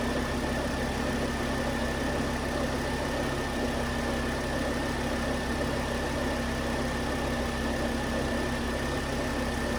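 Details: 2009 Volvo S40 T5 AWD R-Design, flood-damaged, after a failed alternator idler pulley was found: steady, even idle with a smooth low hum and faint constant whine, no knocks or misses. Engine running healthy.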